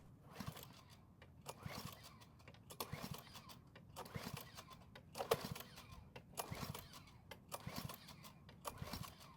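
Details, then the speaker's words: Free curbside Cub Cadet mower, carb already cleaned, fresh fuel: repeated rough recoil pulls about one a second and the engine never catches. "So unfortunately, it didn't even try and start, which means we need to figure out if it's a fuel or a spark issue."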